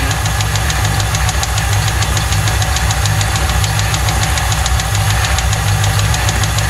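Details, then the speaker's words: 1995 Lincoln Mark VIII 4.6 DOHC aluminum V8, run without oil: sharp, regular metallic knock over a rough idle, keeping pace with engine speed; heavy bottom-end knock, suspected rod knock, engine removed. "this motor had to come out of the car it made some very bad noises [Music] sadly this story doesn't end well it sounds like it's got a rod's happening"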